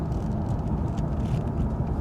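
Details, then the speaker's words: Jaguar XK8 driven on road to MOT after many repairs, window dropped to listen: steady low road rumble at cruise with no hum, growl, grind or squeal; wheel bearings and brakes sound healthy. "Just drop the window so I can listen for any bearings. Brake noise. Very pleased."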